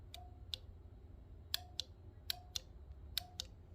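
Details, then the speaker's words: Fischer Panda generator on a Tiara 34 boat, starter run from a separate battery through gator-clip connections: paired sharp clicks repeat about every second with no cranking, the solenoid chattering because too little current reaches the starter. "we get a battery so we know we have good uh amp push to the starter because it takes quite a bit and it's pulling it out of here but I just don't think there's enough"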